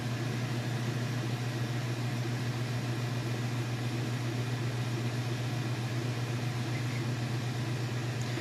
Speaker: you can see, it's nice and smooth. It's not shaking or wobbling or anything like that. No weird noises. Sounds good, it's running good.